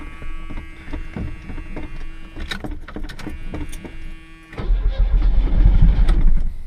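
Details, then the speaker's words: 1986 Chevrolet Chevette: uneven cranking with scattered clicks, then stumbles to life roughly, running lumpy and diesel-like; hard starting, cause unclear. "Wants to start. It's just not happy, that's all. Sounds like a diesel."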